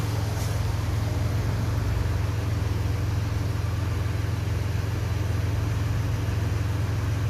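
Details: Hyundai Galloper LPG vaporizer engine after no-start repair: low, smooth idle hum holding steady and even, no stumbles or misses; idling normally again.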